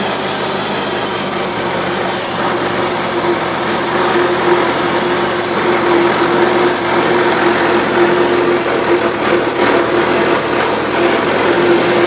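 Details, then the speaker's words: 1977 Gravely GMT 900 single-cylinder, carb cleaned but main jet stuck, old gas mixed in tank: steady, slightly uneven chugging idle; runs only on full choke, idles well, carburetor still dirty. "I'm trucking around a little but it's still running on full choke but it'll idle real good"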